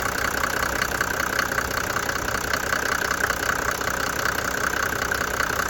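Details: 1991 Mercedes-Benz 350SD diesel after replacing a broken cam: steady, even idle clatter with no stumble or missing beat, and no misfire.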